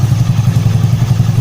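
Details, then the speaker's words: Honda Beat carburetor scooter engine, reassembled after a homemade replacement for the lost decompression pin: starts with quick, even low pulses at a steady beat, no harsh clatter or kickback; running fine. "कर्कश ध्वनि नहीं है, जिसका अर्थ है कि यह सुरक्षित है, कोई समस्या नहीं है,"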